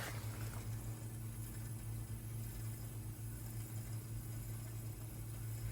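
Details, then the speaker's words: Vehicle fuel scavenge pump switched on, in cold weather, before attempted start: quiet steady low hum at even pitch as it pulls through a lot of air, working itself round; normal pump operation, though the engine afterwards would not crank. "I can hear the scavenge pump feel in air a lot of air there will be a lot of air I think we'll let it just make some noises for a minute yeah it's working itself around"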